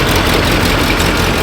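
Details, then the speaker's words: 1984 GMC K10 Suburban V8, bought at auction and sat about a year and a half, first run after revival: steady, even low rumble at idle with no knocks or misses, sounding better; normal idle. "I believe it's sounding better I think it is too"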